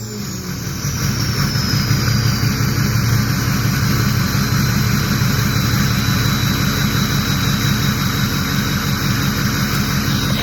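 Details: Ford 6.0 diesel after turbo, oil cooler, dummy plug and EGR delete work, warming up after a coolant flush: steady clatter under a clean, high turbo whistle that sweeps smoothly when revved; earlier the VGT stuck at 0.84, and the turbo now sounds healthy.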